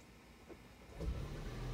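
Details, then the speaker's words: Toyota Prius with failing HV battery, AC off, charge dropping from four to three bars with red triangle warnings; quiet cabin, then the petrol engine cuts in with a low steady rumble trying to charge the battery. "yeah it tries to charge the battery we'll see how many times yep it went down from four bars to three bars"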